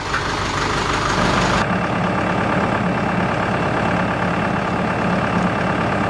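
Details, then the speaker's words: CountyLine PTO post hole digger on a tractor, first use, 6-inch auger in hard clay; tractor engine holds a steady even drone as the auger turns under load, no knocks or grinding. Works normally; clay clumps fall back into the hole. "we got some really hard clay at my property here the big clumps of Claire or sticking together and our falling back into the hole other than that works pretty good"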